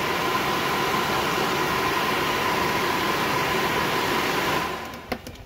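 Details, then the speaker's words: New AC Delco blower motor for a 1969 Camaro/Firebird, bench-tested before installation: even, steady whir with faint constant tone, no rattle or scrape, then spins down; much quieter than before. "I'm gonna be happy with that let's just pop it out we'll hear it outside yeah I'm happy with that it's gonna be a heck of a lot quieter"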